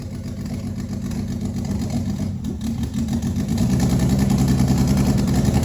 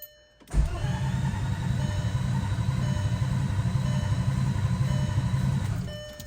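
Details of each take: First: First start of a turbo 24v VR6 after about a year: catches and settles into an uneven, stumbling idle, running rough because injectors are twice factory size and there is no mass airflow sensor. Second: Turbo 24v VR6, not run for about a year, fresh oil and coolant lines fitted, coil pack connectors unplugged to prime oil: starter cranks the engine evenly for about five seconds without firing, normal strong cranking.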